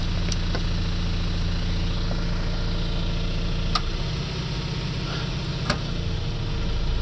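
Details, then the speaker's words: RevCon motorhome generator, serviced with oil and new plugs, testing units for power: one unit showed no load (owner suspects bad wiring), but on this one the steady drone drops slightly as the generator takes load, showing power reaches it. "so this one doesn't seem to be working at all which probably means this got old bad wiring somewhere but this one you hear the generator start taking a load"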